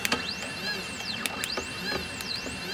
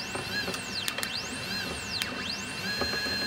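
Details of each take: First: CNC 3018 PRO machine: thin, steady high whine from the spindle motor running smoothly during wiring tests, with occasional light clicks; an anti-backlash nut was rattling beforehand. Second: CNC 3018 Pro during first wiring tests, no end stops fitted: stepper whine sweeps up and down, holds, then a sharp harsh burst as the Y axis crashes at end of travel and the stepper skips.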